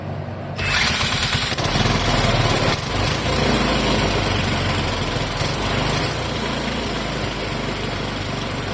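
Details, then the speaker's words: Clinton model 3100 small single-cylinder engine after carburetor cleaning and new exhaust; fires up and runs fast and fairly steady, then sags as it starves for fuel, carburetor fuel delivery still unresolved. "I'm going to fire it up and at least show you that it does run well, you know, until it runs out of fuel."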